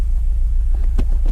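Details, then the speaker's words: Honda Prelude H22 turbo, converted OBD2 to OBD1, new 1000cc injectors, Hondata with wideband, base map just uploaded, idling on its own: low rumble with irregular thumps, vibrating and running very rich (about 12.6 air/fuel); rough idle, cause unclear. "the car is idling on its own it's vibrating a bit so there's definitely something off"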